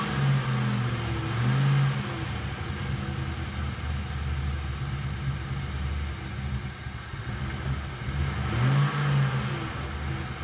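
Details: Engine started after several days at -23°C (-32°C windchill): raised drone swells up on its own at the start and near the end with no one on the pedal; uncommanded revving after cold start.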